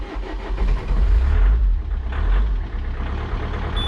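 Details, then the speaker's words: Peugeot 407 2.0 HDI diesel after fuel filter replacement and priming: cranks briefly, catches at once and settles into a steady, even idle without stumbling or hunting; normal start and idle. "you can see, no hustle at all. That's how easily it's done. And it's not gonna stop. It's all how it should be."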